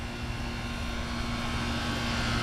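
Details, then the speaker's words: Lennox central air conditioner condenser at large complex: loud, steady roar with rough low rumble and constant hiss, echoing far; runs far noisier than it should, cause unclear. "one of them here is super noisy which one holy oh yeah this one is loud"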